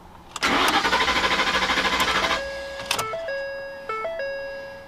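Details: 2008-2014 Ford F-150: about two seconds of steady, even cranking pulses that stop without catching, then dash chimes; crank no-start, ignition side probably okay, fuel pump being checked with scanner, cause unconfirmed.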